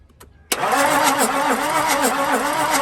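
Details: Toyota 1HD-FTE diesel from a 100 Series Land Cruiser, tested before building into an LC76 and converting to mechanical fuel pump: steady rhythmic cranking at about three and a half beats a second, no firing; cranks, no start.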